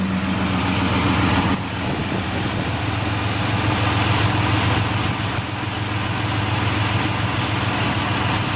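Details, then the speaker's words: Ford Escape XLT 3.0L idling in park after fitting a remanufactured MAF and refitting the O2 sensor, battery disconnected: fast, fairly regular ticking three or four a second over the engine; rough idle, ticking cause not pinned down. "I'm gonna start it up. I disconnected the battery and everything, so. Let you hear the ticking if it's still doing"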